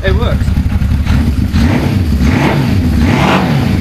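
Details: Suzuki GS550 cafe racer, previously running on three cylinders with cylinder 3 dead, after carb strip and reassembly: throaty exhaust with even pulses picking up cleanly on blips, no stumble; all pipes hot, all four firing.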